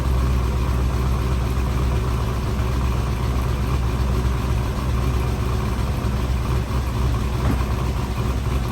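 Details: C5 Corvette LS1 track car, first start after installing a 220/232 cam and LS6/243 heads: steady V8 idle with a loud, fast, even ticking; excessive valve lash because the pushrods are too short.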